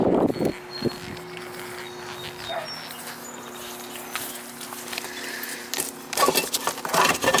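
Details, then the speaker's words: Goodman R22 AC condensing unit outdoors not running while indoor fan runs: steady electrical hum, compressor off, from a cooked, blackened contactor not pulled in; pushing it in engaged it, contactor to be replaced. "see when I just I just pushed it and it went in we got a bad contact Lydia it was out and I just pushed it in it was making all that noise you can see it's all fried see it's all black in there no good"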